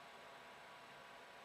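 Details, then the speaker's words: Creality CR-10 V3 3D printer main controller box: the newly replaced fan, powered up before reassembly, spins with a soft, even airy whir and no rattle or buzz. It is now quiet, where the old fan was bad. "so now I'm going to plug in power I'm going to make sure the fan spins and then we'll start reassembly now that sounds a lot better"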